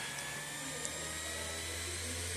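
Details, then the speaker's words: Slot-load optical disc drive spinning as the computer restarts after an OS install. Steady, even whir with a faint high whine and no ticking, scraping or wobble; normal disc drive spin-up. "Woo! That's the disk drive in the background, if you don't know what's making that noise."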